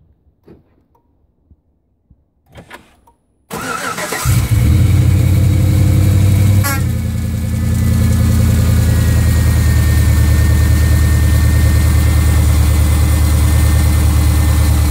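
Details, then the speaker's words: Truck cold start after sitting several hours: cranks and catches, then a rough gritty idle with a horrible grinding undertone, recorded hood open. Belt, tensioner, idler pulley, alternator and power steering pump are new; owner suspects power steering pump, rack and pinion or water pump. "That's the noise that in the start there, you probably heard that horrible grind."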